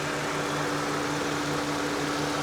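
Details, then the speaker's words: 2004 Mazda MX-5 (Miata) DOHC four-cylinder at a salvage auction, odometer 19,826, A/C compressor cycling; steady, even idle with a constant hum and no knocks or misses, a healthy engine. "double overhead cam four cylinder great reputation these are fun fun fun little cars and she's steady okay"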